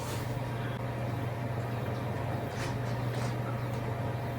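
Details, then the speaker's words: Power Mac G4 Sawtooth in B&W G3 case, power-on: steady low buzz under fan airflow from startup; one of the fans sounds like it is buzzing, to be checked; buzzing at power-on. "okay let's see if the power button still works it's a good sign it sounds like one of the fans are buzzing I have to look at that"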